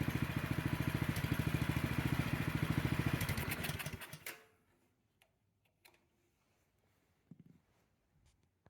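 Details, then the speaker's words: Snowblower small single-cylinder engine test-run after cleaning the carburetor pilot jet to fix surging: steady thump without hunting, then winds down and stops cleanly; normal idle. "when the throttle is moved to the right the engine rpm should drop down to a nice slow idle"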